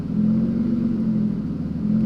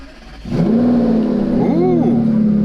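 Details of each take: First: Aston Martin V12 Vanquish (about 450 hp), not started in a while so initially a little lumpy, revved: smooth, even twelve-cylinder note swelling and settling without misses or knocks; sounds amazing, slightly less refined than the 510 hp sibling engine; normal revving. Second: and the car hasn't been started in a while uh so it runs a little bit lumpy but it'll smooth out pretty good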